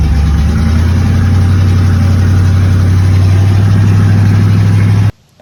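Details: '70 Nova with a $400 mystery V8 swapped in after the 307 small-block's hydraulic flat-tappet cam failed: deep, steady rumble with an even lumpy beat and no knocks or ticks, then shut off. It runs cleanly.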